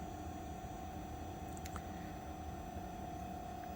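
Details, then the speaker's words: Chinese diesel heater that has run out of diesel: the fuel pump was pumping louder as it ran dry, then it threw code E08 and went through shutdown. Only a quiet steady fan hum and thin whine remain, with no burner roar. "all right so it is shutting off that was what I was curious about what would happen if I left this running would it actually turn off"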